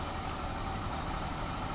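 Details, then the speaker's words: 2021 Honda Scoopy FI scooter idling with the CVT pulley removed: coarse, gravelly rumble persists from the middle crankcase; worn crankshaft bearings. "fix Ya bahwa suaranya itu masih utuh atau masih kasar berarti permasalahan ada di bagian mesin bagian tengah kemudian tahap selanjutnya"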